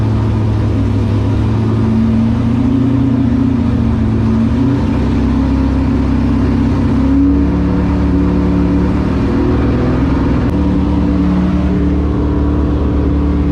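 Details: LS7 V8 in S14 competition car, first start after about 3 months sitting and an oil change with 10 litres, run to build oil pressure before priming the accusump: deep, even idle with steady low rumble, no knocks or misses; normal.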